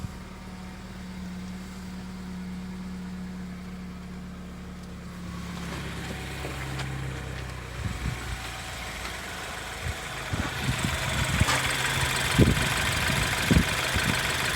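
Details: 2013 BMW X1 N20 four-cylinder after fixing a crank no-start caused by the high-pressure fuel pump forced in during valve cover gasket replacement (new HPFP and plug end): steady smooth idle under shop clatter; running normally.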